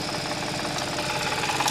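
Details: Audi S, cold start: two engine noises over idle, a "la-la-la" rattle and a "gua-gua" sound, in short bursts that build and fade, clearer when cold; intermittent engine rattle, cause unconfirmed.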